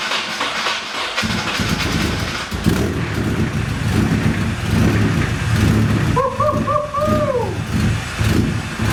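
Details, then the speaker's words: Nissan 240SX first start in 2 years after rebuild, injectors just reinstalled: cranks, catches after a second, then lopes and stumbles unevenly; rough running, heavy leak later found from turbo oil feed line burned by starter short. "Yeah! That ran like dog shit and we're leaking something heavily, as most first starts tend to go."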